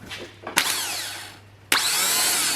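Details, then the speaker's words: Nissan Skyline R33 GTS-T with freshly rebuilt engine, new starter motor fitted: two bursts of smooth, high, rising whir with no grinding or clicking; starter spins healthily. "sounds a lot healthier thrown out of just turning"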